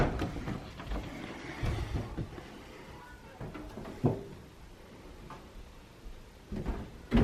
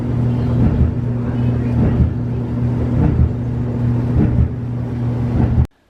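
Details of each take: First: Samsung dryer after welding a broken drum seam and reassembly: steady low hum with even drum turning, no rhythmic thump; runs normally. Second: Samsung dryer after welding its cracked thin drum seam: steady tumbling rumble with dull thump about every 1.2 seconds, once per drum turn, from the thickened weld build-up riding over the roller; livable residual thump.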